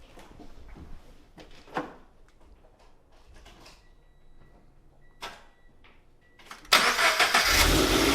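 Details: 2020 Toyota 86 first start just after installing Megan Racing headers and overpipe with catback, one header bolt not fully tightened: brief clicks and rustle, then catches at once and settles into a steady, very quiet fast idle; healthy start.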